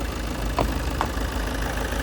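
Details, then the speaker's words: Ford Focus diesel sold as having an engine tapping noise: steady idle with light, even ticking from the direct injection pump, nothing irregular. Judged normal injection noise and a healthy engine. "You'll hear the direct injection pump there. Sound as a nut. Sounds like how it should do the diesel. Absolutely perfect."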